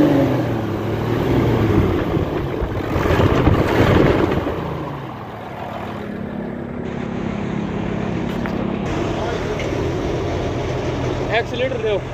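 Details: Hino Euro J08C six-cylinder truck diesel revved after the air compressor repair: it rises and falls with the throttle in a smooth, full note with no knock or rattle, running clean with normal revving.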